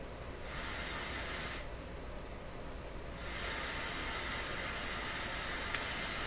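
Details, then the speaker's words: Nordmende 3004C radio on FM through its speakers, before the local oscillator alignment: a steady, even hiss near 88 MHz at the bottom of the band, where it fails to pick up a station at 88.1; tuner out of alignment. "Nice strong hiss."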